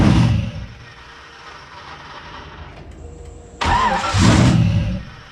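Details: Car with new rear radiator, wideband and base break-in tune, after new spark plugs: two bursts of cranking with rough low chugging but it never starts; tuner to recheck startup tune and PCM communication.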